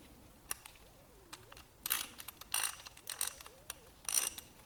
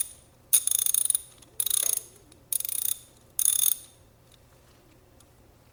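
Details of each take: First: Socket ratchet wrench after disassembly, cleaning and greasing (previously had almost no grease): light even pawl clicking, no grinding, less drag; measured 77.5, much quieter than before. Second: Older socket ratchet with little grease, before cleaning and regreasing: four sharp bursts of rapid, loud metallic clicking as it is spun; dry, dirty pawl mechanism suspected.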